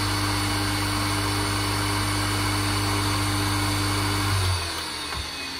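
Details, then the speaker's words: Three-phase motor on a 240V single-phase supply with a marked dimmer, wiring tidied: a steady hum and clean whine at constant pitch, then winding down at the end; it runs smoothly with torque you can't stop by finger. "and then we can turn it down to there and it runs all fine you can't stop it with your fingers i mean the torque there is perfectly okay"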